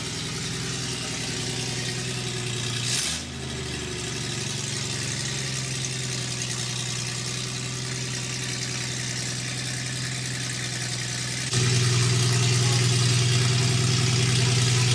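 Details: Toyota FJ40 with Holley Sniper EFI on a small-block Chevy V8, after first start, new fuel lines: steady, even idle with smooth low pulse; speed steps up slightly partway and holds clean; normal idle.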